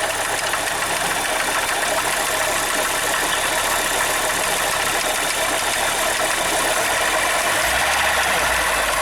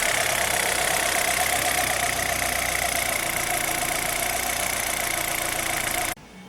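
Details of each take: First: Zafira 2.0 at idle: a harsh, steady rushing grind from the front of the engine near the accessory belt cover, traced to a worn water pump bearing. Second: Chevrolet Zafira 2.0 after water pump replacement: steady, even idle with a smooth hum and no rattle or whine from the front of the engine; earlier loud noise traced to the water pump is gone.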